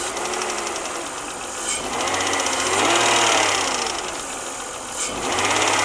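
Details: BMW 323i running with a fast, fairly even ticking near four per second from the top end, rising with revs; it got louder after a full head rebuild and machining (valve job). Top-end ticking, cause undetermined.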